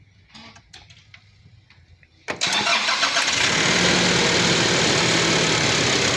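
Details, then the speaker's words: Nissan NP300 pickup at start-up and idle, heard via stethoscope on top of the alternator: a few light taps, then a loud steady ticking about four a second; alternator bearing suspected, not confirmed. "as you can tell, you hear a loud ticking noise. So I suspect that is a alternator bearing."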